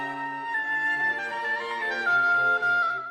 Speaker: That bubbling and gurgling sound you hear is water trapped underneath the keys in the tone holes. And so when the air tries to get through, the water blocks it and it messes up the tone.